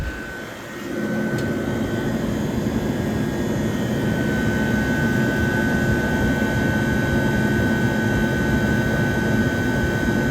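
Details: 1978 Comfort Air Quiet Master window air conditioner, dirty but 28–29 degree coil split, condenser reading about 106–111: steady even hum with smooth fan whoosh, constant tone, no knocks or rattles; compressor and condenser fan running normally.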